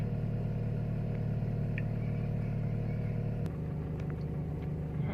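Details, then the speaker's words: Timor DOHC engine, cold morning: idle held around 1200 rpm or more until reaching full temperature (about 800 when hot); steady, even low hum settling slightly lower partway through; healthy cold fast idle. "bisa juga 1200 lebihnya pada saat mesin belum mencapai suhu maksimal RPM akan bertahan di setiap lebih"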